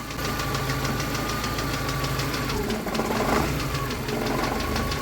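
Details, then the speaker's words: Warmed-up VAZ-2112 petrol engine at idle after timing belt side service: roller noise gone, crank pulley now runs true, only a light fast ticking from worn hydraulic lifters remains, to be replaced. "now the pulley is running smoothly without a drop of beating you can only hear the clicking of the hydraulics and I will change them soon"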